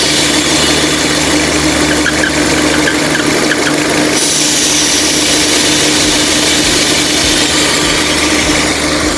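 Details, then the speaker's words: Peugeot/Citroën 2.0 EW10 engine idling: steady thin hiss with faint whistle from a perforated PCV diaphragm in the valve cover; fix is a new original valve cover: perforated PCV diaphragm. "entendeu então quê que é isso aí diafragma furada da tampa de válvula tá nesse caso aqui vão aplicar lá tampa de válvula nova E aí corrigir esse barulho barulho bem conhecido é bem incomodativo também"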